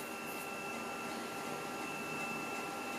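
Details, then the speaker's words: Macintosh SE with WarpSE accelerator formatting a floppy disk: steady whirring with a faint high tone and soft irregular mechanical ticking throughout; floppy drive formats normally. "okay now let's try the floppy disc does it format it does it does it does so that is is working properly it seems"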